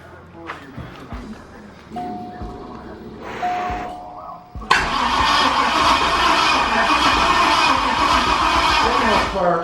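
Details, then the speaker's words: 1983 Cadillac Coupe DeVille with a 6.0 LS swap: steady starter churn about 3.5 beats per second that never catches. It cranks with fuel pressure but no spark, even after moving the red power wire; only one fuse has power. "no spark damn it all right you ready but there's still no spark"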